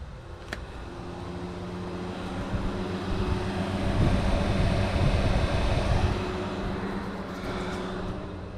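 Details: Barra-swapped Nissan 350Z drift car, engine idling, fans switched on from the switch panel: smooth whooshing airflow builds and holds steady, no rattles or grinding. Fans running normally.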